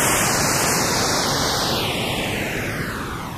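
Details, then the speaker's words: That's Metal Type II high-bias cassette, repaired then re-recorded on the flipped side: hissy, muffled sound with wavering, sagging pitch and very low levels; tape wow and dropout, as creased tape had misaligned with the guides. "hear that wowing I think that's a clue as to what the problem is and as you can see the levels are totally wrong there's nothing there it's muffled it's awful"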